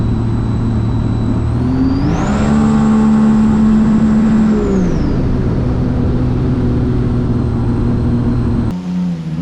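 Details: 2017 supercharged Sea-Doo RXT-X 260 jet ski with higher-compression pistons, after the map-tuner fuel adjustment: revs cleanly up to a high, steady whine, holds it, then settles back evenly, pulling strong; normal full-throttle run.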